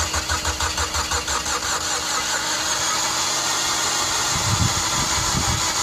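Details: Mazda Familia Sport 20 cranking: starter spins with a rhythmic whirr of about three pulses a second but the engine never catches; crank-no-start caused by lost ignition timing, fixed by correcting the timing.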